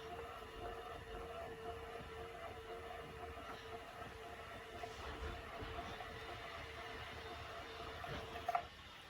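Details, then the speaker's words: 1964 Westinghouse reel-to-reel cartridge tape recorder on rewind: smooth, even motor whir at a steady mid tone for about eight seconds, then a click as it stops at the tape end; normal. "Okay, rewind. We'll go until the motor stops."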